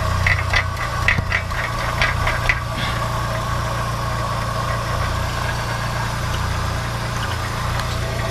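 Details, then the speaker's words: VW Golf 1 Cabriolet at idle: loose metallic rattling bursts about three times a second for the first few seconds, then steady idle. It comes from inside the catalytic converter, which is not holed; the internals are loose. "Vous entendez, ça vient de là-dedans, hein. Et pourtant il n'est pas percé."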